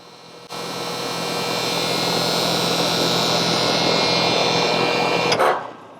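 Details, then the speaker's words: Home outdoor AC unit turned on at the thermostat to cool; runs but gives a steady high-pitched buzz that holds until shutoff; buzzing from the contactor, which was replaced to fix it. "okay so as you can see in my case it actually does turn on it just makes this really high pitch annoying noise"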